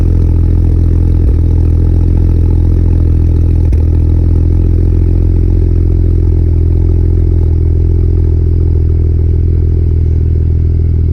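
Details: BMW E92 335i (N54) at idle: a heavy drone with an uneven, stumbling pulse and occasional jolts. Owner suspects an injector misfire, not confirmed.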